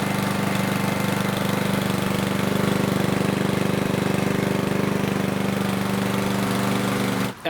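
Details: Yard Machines mower with Power Mower engine after replacing an oil- and fuel-soaked air filter: steady, even single-cylinder drone at constant pitch with no surging or stumbling; running properly.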